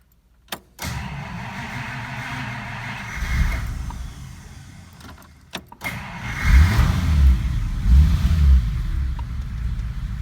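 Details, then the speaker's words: 1953 Pontiac Chieftain engine, first start during a basic engine diagnostic: a click, a few seconds of cranking, then it catches and settles into a low, steady idle; a healthy start. "Okay, engine is running. It's actually idling."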